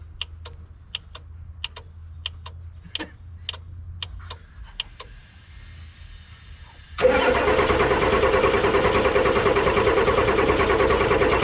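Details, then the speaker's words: Ford F-Super Duty with a 7.3 IDI naturally aspirated diesel, known to run: ticking, then it cranks steadily without firing. Owner suspects a fuel system fault, such as losing prime, being out of diesel or something plugged. "there it goes again so there's something wrong with the fuel system we're either incredibly low on diesel or something is plugged etc etc but we do know that the engine runs i would say it's losing its prime or it's out of diesel"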